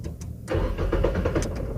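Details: Nissan Almera that won't start: steady starter cranking rhythm with no engine firing; cranks but won't start, first check suggested is the fuel pump fuse.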